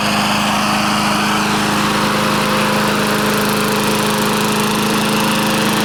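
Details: Briggs & Stratton push mower that ran rich with black smoke and oil from the muffler, after reassembly: steady even high-pitched buzz at constant speed, no misfire or surging; repaired and running healthy.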